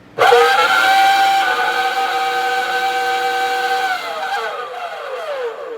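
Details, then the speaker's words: Hoover FloorMate Deluxe scrubber, about 5 months old, used daily, now dead: loud piercing steady whistle for several seconds, then sliding down in pitch as the motor winds down; the failure noise the owner says signals it is done. "And then my biggest complaint about this, again, it does not last longer than 5 months because it stops working and it makes this noise. And this is how I know it is done."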